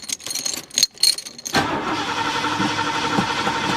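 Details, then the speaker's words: LTD car cranking without starting: steady starter churn about four turns a second, never fires; no fuel reaching the carburetor despite gauge showing 1/4 tank. "Yeah, I'm not getting gas up to the carburetor. Can't even see my fuel gauge here, but yeah, it's showing 1/4 of a tank. So that should be fine."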